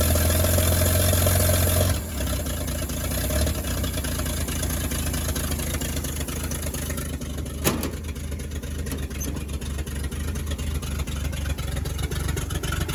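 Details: 1938 Chevy Master Deluxe six, chilly Alaska September, on choke with rebuilt carburetor and starter from a 1942 G506: after a rough start-up, settles into steady, even idle with no knocks or misses; runs very well, normal idle.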